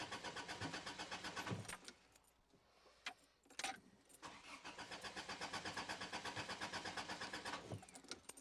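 Starter cranks at a regular pace, roughly three beats a second, pauses, then cranks again, but the engine never catches: cranks but won't start. Cause suspected, not confirmed.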